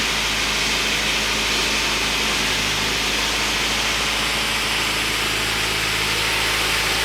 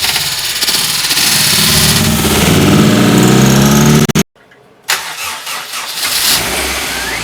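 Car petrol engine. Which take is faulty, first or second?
second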